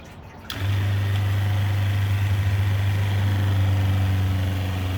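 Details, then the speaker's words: Truma Ultrastore motorhome water pump after cutting out the problem pipe section, tap open: steady low hum without surging or pulsing; pump no longer pulsates. "I don't know if you can hear that, but the pump works perfectly fine. It doesn't pulsate anymore."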